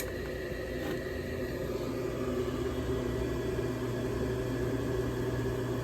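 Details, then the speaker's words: Older York gas furnace after its locked-up draft inducer was repaired: inducer and blower give a steady, even whoosh and hum with no rattles or squeals, so the furnace is operating normally. "there's the blower coming on good stuff"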